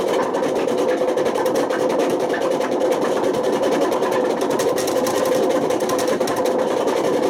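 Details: Washing machine on high spin with worn-out drum bearings: a loud continuous roar with a gritty rumble and no let-up. The bearings got so bad they damaged the spider and put excessive wear on the motor.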